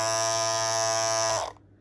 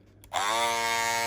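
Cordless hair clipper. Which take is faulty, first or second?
first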